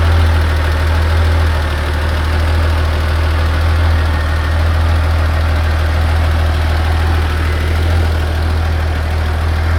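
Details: 1986 Porsche 911 3.2 L at hot idle: steady warm idle with a faint quick tick about four a second on the low rumble, a doubtful top-end tick; cause not pinned down.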